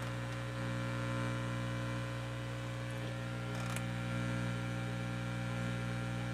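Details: Realistic STA-2100D amplifier back on warranty, after replacing feedback-loop capacitors, input off and volume up: steady low mains hum, faint even hiss, no rumble; idles quiet and healthy.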